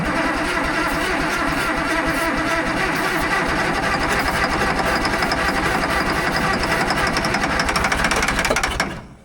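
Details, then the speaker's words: Fiat-Allis 645B loader diesel: rough, uneven firing while cranking on ether almost catches, then falls away and dies; no fuel reaching injectors, not picking up diesel; nearly starts on ether then stalls. "Well, it tried to go on the ether. Doesn't seem real happy, though."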